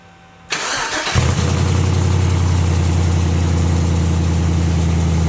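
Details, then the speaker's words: LS-swapped Jaguar XJ-S with a custom exhaust, resonators tack-welded, V8 cranks and catches into a loud, deep, lumpy idle with a raspy chuff; air felt escaping at a badly sealing clamp joint: exhaust leak. "got a not so fun problem here this clamp right here is leaking a lot and when i put my hand under it when the engine was running i felt uh quite a bit of air coming out of it"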